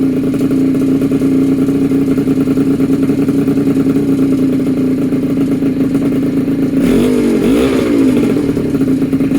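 Buzzy two-stroke holds a steady, even tone, then revs cleanly with a short blip near the end; runs healthy.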